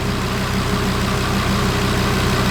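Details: Audi RS3 DAZA at warm idle on first start, manual coolant bleed underway, heater matrix warming; steady low drone, no misses, stumbles or knocks, normal healthy warm idle.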